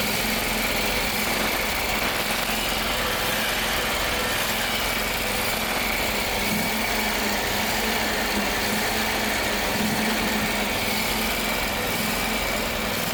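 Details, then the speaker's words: Gravely 260Z zero-turn mower, about 2006, Kawasaki engine, before carburetor replacement: engine at high idle drifting up and down, surging/hunting for years; owner suspects carburetor, later replaced. "So, it's not like it's a I put it through any hell, but it to have it just surging up and down, that's kind of a pain. So, here it is."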